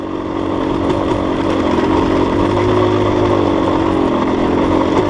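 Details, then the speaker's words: Dirt bike with a Rekluse auto-clutch on a long, steep downhill, in the proper gear with throttle blips to lock the clutch: a steady engine drone with slight pitch changes and small blips; normal engine braking through the auto-clutch. "So you can hear it, guys. Recluse does engine brake. If your recluse does not engine brake, then you have your setup wrong."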